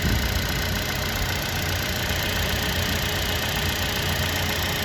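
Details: Buick Encore Ecotec after replacing both coolant temperature sensors for code P00B7 (false overheating reading and hard starting): steady even idle with a smooth low hum, no knocks, misses or squeals, no leaks; normal idle.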